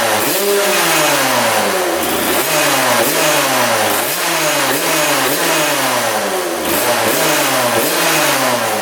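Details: 1999 Suzuki RM80 two-stroke dirt bike, air screw out 1.5 turns, filter on, after earlier backfiring: crisp blips revving up and dropping back cleanly about every second, no stumbling or popping; now sounds healthy.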